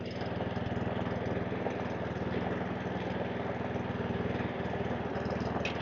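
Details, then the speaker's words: Webb WER41SP walk-behind mower, sold as no-spark; choke off, it holds an even, steady beat at about four pulses a second with no hunting or surging, running healthy. "it looks tidy it's clean and it runs and no hunting surging that's the main thing"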